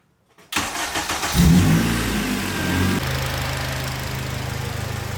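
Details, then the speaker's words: 2008 Acura TSX CL9 K24 start-up after repairs, coolant and power steering bled: quick flare then steady even idle with faint power steering pump whine and slight tick, everything new and settling in; normal start-up and idle. "That's just how TSX motors sound with like the power steering pump and the slight tick and whatnot. Like everything, it is all good."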